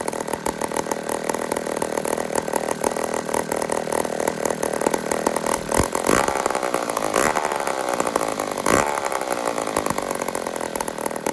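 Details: Old 150 chainsaw made in Toronto, Canada, after carburetor work: steady high-pitched buzz, revs up and settles back cleanly without stalling or hunting; normal smooth running.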